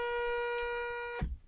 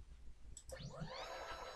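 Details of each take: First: Sainsmart 3018 PRO CNC, axis sent across a tight spot with the current GRBL settings: a steady high stepper buzz that cuts off abruptly as the motor jams; stall because top speed or acceleration is set too high. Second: you can see, that sounded fine, so we can then take that up another 50.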